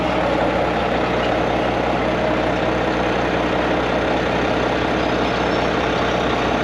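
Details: Volvo/Mack MP8 (D13) truck diesel with a long-crank hard-start problem after sitting or refuelling, here started from outside for comparison: quick start, then a steady, even idle with no misses or knocks, settled and smooth; normal idle.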